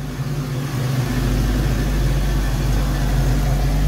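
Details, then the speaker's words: 1990 Ford Mustang GT Foxbody V8 idling with new Alloyworks 4-core radiator; electric fans switch on around 185–190°F, rushing whoosh swelling in over steady idle, bringing temperature down. Normal cooling fan operation. "so yeah it's on fans kicked on it's bringing the temperature down"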